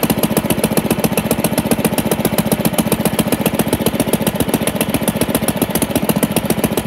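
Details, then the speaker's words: 1947 Pond lever-steer tractor after removing mouse nest from flywheel and pressure plate that caused severe vibration in every gear and neutral: even, steady firing about 220 beats a minute, no wobble or knock; vibration fixed, normal running. "all right that is awesome that definitely was the problem"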